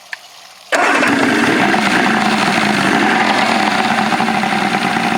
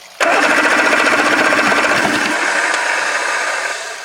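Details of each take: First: 1984 Grady White Overnighter 20 outboard with three two-barrel carbs, freshly mounted and run on flushing water; it catches quickly and settles into an even, busy idle with no misses or knocks, though the fuel distribution block leaks while running; healthy running. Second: 1984 Grady White Overnighter 20 outboard with three two-barrel carbs, mounted and tested on water supply: starter whirs in a steady churning rhythm of about four compressions a second but never fires, then winds down; fuel distribution block leaking. Cranks but won't start.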